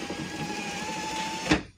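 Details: Car power window after repairing the motor gear that was skipping while raising: a steady motor whir with a thin whine runs for a moment, then stops with one firm thunk in auto mode; normal operation.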